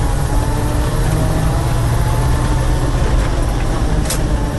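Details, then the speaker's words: 1979 International Scout II, 345 four-barrel V8, 57,000 miles, driving with hubs locked in four-wheel low; steady engine drone under load with even drivetrain hum, no whine, clunk or grinding, normal four-wheel-low operation. "so now even got more power you can kind of hear the transmission how so there's four wheel low put it down in low"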